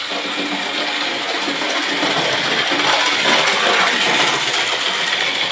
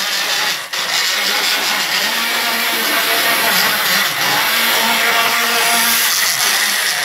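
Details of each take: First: Model railway locomotive with a cracked, unevenly glued base plate, running a full circle of the track. Even high-pitched whirr with light wheel clicks two or three a second, no stumbles or grinding: normal running. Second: Model railway N2 mainline locomotive running jerkily with intermittent stalling and is hard to start from a dead stop. Wheels and motor cleaned without effect; owner suspects warm motor brushes needing replacement. High buzzy whir that keeps dropping out and picking back up.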